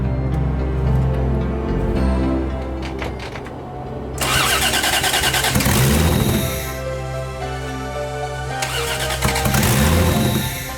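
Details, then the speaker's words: Toyota MX73 Cressida 5M-GE with junkyard 7M-GTE turbo fitted, first start attempt, cold day, car up in the air: uneven cranking bursts, catching and stumbling, never settling into an idle; hard start from too many air leaks, big vacuum line. "Got too much air, too many air leaks. That line. Which line? The big vacuum line."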